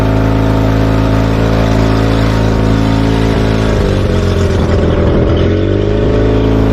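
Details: Tohatsu 20 hp outboard on a Mowdy S-10 boat, running just after an oil change: steady low drone with an even hum, pitch wavering as the throttle opens. Running normally.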